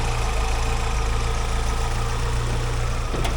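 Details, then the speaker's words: 1956 Willys Jeep CJ5, freshly rebuilt Hurricane engine, first drive, not yet at operating temperature: low even idle with smooth steady pulse, no knocks or misses, quieter than ever before; no oil or coolant leaks; normal idle. "Way better idle than before. That idle is minty. It would never It never idled this quiet before."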